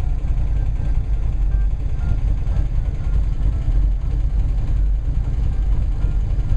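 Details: 1970 Plymouth Cuda V8 at idle, stopped at a light during a pre-delivery inspection road test, oil pressure good at idle. Deep, steady low rumble with an even lope and no knocks or ticks. Normal idle.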